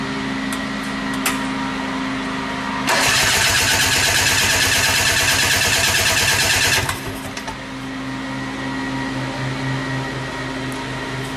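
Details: 1972 Ski-Doo Rotax 340 two-stroke, the father's old racing motor, being started for a Tomberlin CrossFire go-kart swap. It fires almost instantly into a sharp, even crackle of about four beats a second, then settles to a steady, healthy idle.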